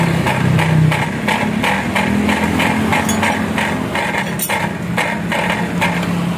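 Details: Honda Vario scooter idling with a buzzy metallic rattle pulsing about three times a second from inside the muffler, also felt as vibration while riding. The exhaust is original, and the cause is still undiagnosed.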